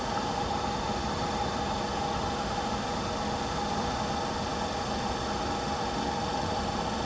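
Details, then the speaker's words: Diesel heater with error E-06 (fan not turning or no fan signal), left running after a shutdown attempt: steady thin fan whine over a quiet hiss with no burner roar, because the controller can't detect the fan speed; it later fires up on its own. "So, what it's doing or not doing is it can't detect that speed to say that the fan's actually running."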